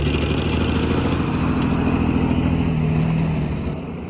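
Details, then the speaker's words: 1951 Dodge old six-cylinder, warm: deep, fairly even idle with a steady low rumble that fades at the end, no knocks or misses; oil burning off the headers or valve covers; normal warm idle. "Burning some oil off the headers or the valve covers for sure, but it is running."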